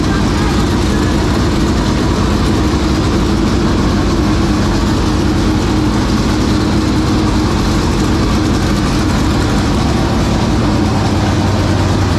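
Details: 465 cubic-inch V8 race engine, first start after three years sitting and after getting better fuel pressure: a loud, steady, deep, even idle rumble with no misses; normal running.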